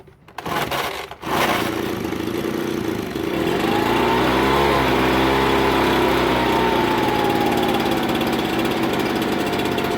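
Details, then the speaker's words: Ryobi BP42 backpack blower, hard starting: after a rough start the engine climbs then sags with no throttle change; owner suspects an air leak at the loose-bolted isolator block to cylinder or a missing gasket; fix is thread locker on its bolts. "he isolator block and the the cylinder it's sucking air or it's missing a gasket or something something's going on that's what i suspect"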